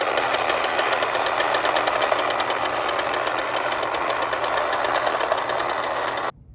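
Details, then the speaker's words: Late-1960s/early-1970s Remco Tiger Cat toy jeep in low gear after a shifter repair locks the clutch dog: small motor buzz with fast even gear chatter, no skipping or popping, then stops; normal gearbox. "Okay, so this worked beautifully. That works as intended."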